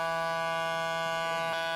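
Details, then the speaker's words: 1975 JVC 9407LS radio cassette player: pressing play gives a steady hard-edged low buzz, likely from dirty record switch contacts, to be treated with contact spray. "Okay, there's a problem here, as stated before. When you press play, you get this buzzing noise."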